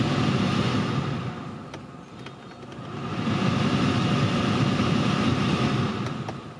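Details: Honda CR-V 2nd gen, A/C blower fan that would not spin, tested after blower resistor repair before reassembly: steady airy rush swelling and easing through each speed, no rattle or scrape; blower works on all steps.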